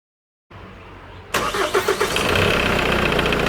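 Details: Engine cranks and catches, then idles with fast dry metallic timing chain rattle lasting over 3 minutes after starting, even when revving; tensioner collapsed because the chain has stretched.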